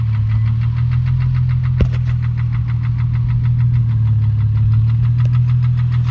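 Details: 2004 Infiniti G35 with rough idle: a low, uneven idle with a light repeating knock and an occasional sharp clack, suspected rod knock but cause unconfirmed.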